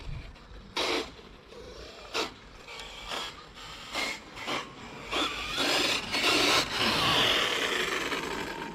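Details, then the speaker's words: Traxxas X-Maxx RC truck with 18-tooth pinion and 52/54-tooth spur: harsh rasping bursts about every second under power, gears skipping and chewing; stripped spur gear, grinding too much to continue. "is grinding really badly all right guys we're gonna have to call it unfortunately she's grinding too much"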